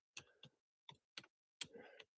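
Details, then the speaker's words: Nissan Altima power seat, engine running: short separate clicks and buzzy bursts under half a second, no steady motor run; slide forward/back motor suspected locked up while up/down and tilt work. "Now I can hear power going to it. But it sounds like it kind of sounds like the motor's locked up."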